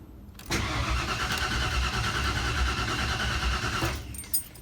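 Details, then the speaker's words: 1992 Ford F150 after installing a new Spectra fuel pump: even, rhythmic cranking for over three seconds with no firing or pickup; engine turns over but won't start, fuel rail not getting fuel; owner hopes the tank was just low on gas. "The engine turns over. Uh but I checked the fuel rail and it's not getting any fuel."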